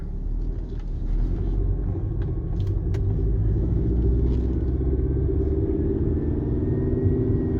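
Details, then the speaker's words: Mercedes C230 test drive at about 20 mph after fixing driveshaft noise (rubber piece hitting heat shields), AC off: only low steady road rumble, no clunk or rubbing; driveline quiet. "i think that fixed it it had to be that rubber piece i don't think it was the heat shields now i think it was the rubber pieces hitting the heat shields"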